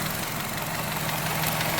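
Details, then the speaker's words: Chevy Cruze at idle: a light, fast rattling tick over a busy idle. The mechanic suspects a weak oil control valve (unconfirmed) and notes the car feels underpowered on the road. "Not a big fan of that rattle. I mean, it could be from a weak oil control valve."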